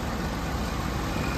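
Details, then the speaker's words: 1987 Jaguar XJ6, fully cold after two weeks sitting, heard outdoors after an easy start: low, even idle rumble with no stumbles or knocks, injector-side clicking; smooth, healthy cold idle. "show you how nicely sealed everything is in there just running nice and smooth"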